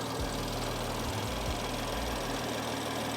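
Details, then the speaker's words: BMW M4 idling after valve cover and PCV replacement; slow start was from priming fuel rails after lines were disconnected, which is normal: smooth, even idle with steady low hum, no knocking or misses. "Now, if you were curious to why it took a while to start up, it was because the fuel lines were disconnected. So I had to prime the fuel rails, and it was probably trying to get a stable pressure across. So that's normal."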